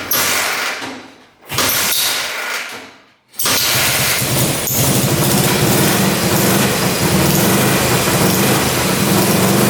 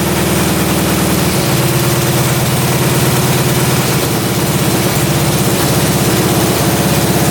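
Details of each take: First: Russian Dnepr military motorcycle, first run after 30+ years sitting in a barn, carb freshly working, burning off old oil: steady fast idle with a thin bad squeak over exhaust throb; owner unsure, possibly the points area. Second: Russian Dnepr military boxer twin motorcycle sat 30 years in a barn, just after carburetor idle adjustment and fire-up; even, loping two-cylinder thump holding steady without stumbling or hunting; normal idle.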